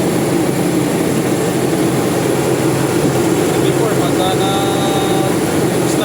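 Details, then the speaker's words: Toyota Revo 2.0 on a cold-start test drive after tightening the loose alternator belt tensioner pulley with 14mm tools: steady engine and road drone with no belt chirp or squeal; squeaking is gone. "So ito na yung test drive. Wala na yung ingay. Sa cold start."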